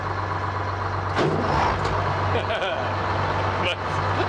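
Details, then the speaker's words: Sherman WWII tank build powered by a 4-cylinder Detroit diesel with dual transmissions; heard from inside, it idles with a deep, steady rumble and even beat, no knocks or misses, fairly quiet. "so i haven't sat here since it's been running it's like this one really quiet [Laughter] sounds like detroit"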